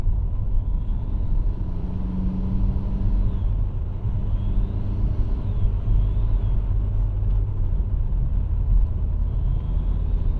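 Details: Opel Corsa C 1.3 CDTI diesel: over a low rumble, a faint high whistle rises and falls with each push on the throttle when accelerating. The turbo is suspected; the engine runs well with no power loss.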